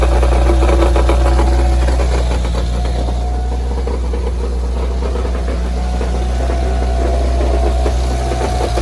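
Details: Evo engine at steady idle with a deep, even rattling knock low in the engine, felt at the pan bottom and quieter with the clutch depressed, persisting after a new balance shaft belt and rod bearings; later found to be a wobbling flywheel.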